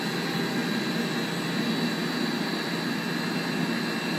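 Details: Blower V-belt drive with correct belt tension: even, steady rushing air with no squeal or flapping; tight side barely vibrates and belt runs without slipping.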